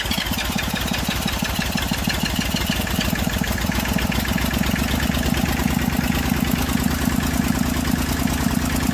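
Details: Massey Ferguson 35 diesel tractor, started with a little "goat juice." Has water leaks and a fuel leak; owner suspects injector copper sealing washers. Steady, fairly even diesel idle clatter, no misfire or knock: normal idle.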